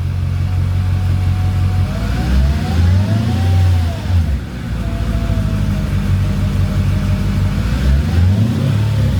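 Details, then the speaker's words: Mercedes CLK55 AMG with swapped M113K V8 after Hellcat fuel pump install, not yet warm: throttle blips rise and fall smoothly with no whine rising with revs; no weird pump noises, pump fine. "all right no weird noises from the pump that's what I was hearing for so I think we're good on that front"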